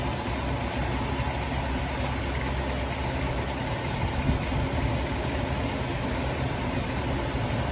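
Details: Dodge Grand Caravan petrol engine idling steadily and evenly after replacing a leaking water pump with a failed bearing that had caused belt squeal; no squeal or bearing rattle, bleeding coolant.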